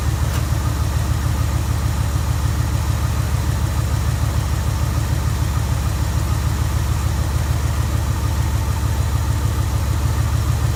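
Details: Jeep Grand Wagoneer V8 at idle after fitting a higher-output 94-amp alternator, air filter dirty and due for change; deep, even rumble with steady firing pulses, no knocks or misses; healthy running engine.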